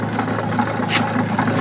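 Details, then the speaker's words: Astro spin dryer loaded with clothes, rear cover off, owner reports noise underneath. While spinning, a fast, even buzzing rattle over the steady drum hum; a spring under the base is seen spinning loose and causing it. "So kung mapapansin ninyo 'yung ayon yung spring na umiikot. Ayan oh. Umiikot sa ilalim."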